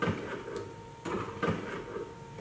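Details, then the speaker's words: 2014 GMC Terrain: the wipers suddenly stopped in heavy rain while the motor still ran. Before repair, a light steady motor whine with soft knocks about twice a second and no sweep load shows the motor working with the linkage broken apart. "it does sound like the motor is functioning properly again it sounds like we have some type of linkage"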